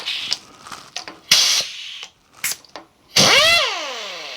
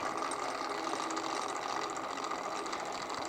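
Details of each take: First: Kurt power drawbar on a mill, being fixed with a cheap Harbor Freight butterfly air impact wrench, with air hooked up: two short bursts of air-driven hammering, each winding down smoothly as the tool seats; it pulls in cleanly, normal drawbar operation. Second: Kurt power drawbar, repaired with a cheap Harbor Freight butterfly impact wrench: fast, even rattling hammer while the tool never releases; drawbar not clearing, needs to go up, ratchet to be slid out some.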